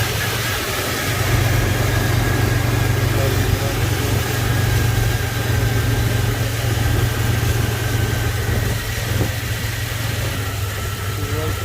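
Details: Car that cranked but wouldn't start, after ignition fix: settles into smooth, even idle with steady low hum, no misfire or stumble — normal idle.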